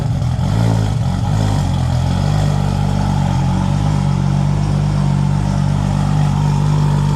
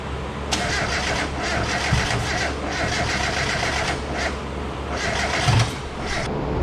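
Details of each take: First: Toyota Supra after replacing a twin-disc clutch with a new triple-disc clutch, first start after the clutch job: steady, even low rumble settling quickly after startup, no knocks or misses; normal healthy idle. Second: Car back together, first startup attempt with coil plugs switched onto the wrong coils: cranking catches into an uneven, stumbling run that won't settle to idle; misfire from swapped coil plugs, later fixed.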